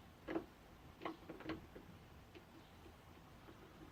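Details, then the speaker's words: Homemade spur gears with straight-line tooth profiles cut on a bandsaw and corners filed round: uneven hollow knocks with quiet gaps as loose teeth bang together and bind, with quite a bit of play. Gear backlash clatter. "when listen to them you can hear that they're quite noisy they kind of bang into one another and there still are some binds so they're definitely not perfect"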